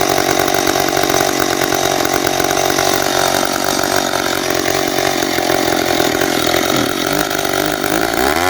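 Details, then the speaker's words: Free McCulloch 10-10A chainsaw: two-stroke buzzes at a high, steady speed and won't slow to a proper idle; owner thinks it needs a carb kit. High idle. "it's not idling right i think it needs a cob kit um i can't get it to slow down to the speed that i want"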